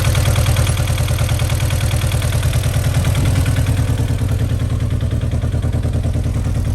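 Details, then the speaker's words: Audi TT bought unseen with a suspected fuel pump problem. Lumpy, uneven idle with a pulsing beat near three per second and slight clatter; the owner thinks it is short of compression rather than a fuel pump issue. Cause unconfirmed. "it doesn't sound like a fuel pump issue to me [Music] sounds like it's struggling for compression a bit"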